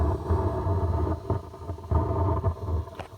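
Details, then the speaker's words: E92 BMW speakers: loose aftermarket LCI tail light bolt let rain channel into the trunk, submerging the left-side amp; irregular crackling pops and low thumps like an electrical storm, then smoke; speakers fried, amp survived after drying. "like a thunderstorm, but it's not. It's an electrical storm."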